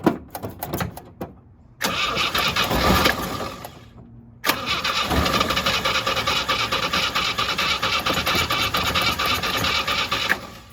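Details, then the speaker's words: 1967 Jeep CJ5A with Dauntless V6, found sitting in a garage and revived: sputtering cranking bursts, then the engine catches and holds a steady, even idle; owner suspects plugs or more fuel needed, but it starts and runs fine. "Might still have. It's alive. $0, folks. Drive it home today. Purrs like a kitten."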